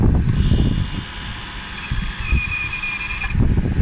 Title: 2001 GS430 Brake noise